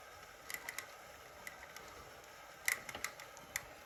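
Sharp irregular clicks and ticks over a quiet room while the trainer runs, cause not evident from the sound.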